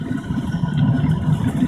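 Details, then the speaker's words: Waste motor oil burner with pumped (forced-fed) fuel, second attempt, propane assist at about five psi: deep steady roar with uneven crackling as fuel droplets spatter, flame around crucible holds steady. "they're all being spattered in there but we're maintaining the flame everything seems to be good"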